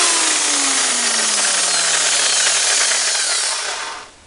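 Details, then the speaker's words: Electric hammer drill after replacing the faulty gearbox bearing bushing runs with an even, steady whine, no rattle or chuck wobble, and winds down smoothly; previously noisy with a shaking head, now working normally. "The drill is now working much"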